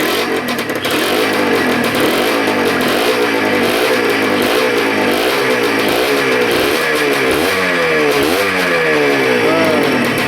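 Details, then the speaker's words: Honda NSR150 RR-W two-stroke freshly rebuilt with relined cylinder, slightly warm, coolant circulating without bubbles, kept to low revs: crisp blips rising and falling cleanly, no balancer whine, no rattles or misfires; normal revving. "เสียงเครื่องก็ประมาณนี้บาลานซ์เซอร์อะไรต่างๆไม่มีหอนนะครับไม่มีหอน"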